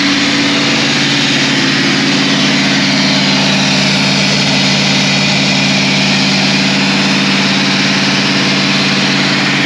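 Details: Caterpillar 3208 diesel after fuel pump installation and bleeding: constant, even drone with no misses, knocks or surging over ten seconds; idles smoothly and normally.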